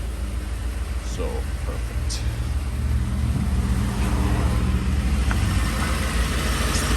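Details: 2010 Ford F-150 petrol engine after the fix, with the rusted-apart heat shield clamps replaced. It starts and settles into a steady, low rumble with no metallic startup rattle.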